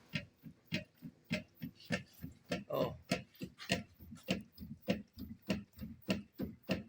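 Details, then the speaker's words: Renault Duster on a suspension noise-test shaker, speed raised: fast, steady hollow knocking about three a second from a worn stabilizer bar bushing, not the shock absorber that other mechanics suspected. "tá vendo aí galera a bucha da barra estabilizadora ó mais forte aí bota muda aumenta a velocidade da"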